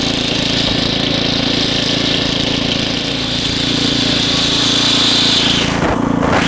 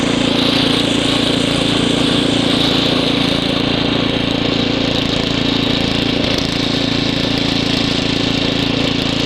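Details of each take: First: Estate-sale Ariens ST724 snow blower after carburetor rebuild, while snow blowing: small engine drones steadily, speed sagging and recovering slightly; hunting from lean main jet, which needs opening up a little. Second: Ariens ST724 snow blower clearing snow, rebuilt carburetor, new fuel lines and impeller bearing; microphone apparently clipped in hood, likely exaggerating noise. Steady, even chugging beat under load, no misses; normal running under load.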